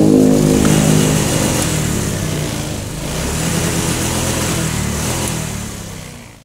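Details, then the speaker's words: Honda Vario 125/150/160 injection scooter after adjusting the TPS (throttle position sensor) up or down with the engine running and tightening it: engine picks up cleanly and holds a smooth, even rev with no lag; throttle delay gone, ECU reset still to follow. "Yes, it's like the fuel delay on the Vario motorbike has disappeared."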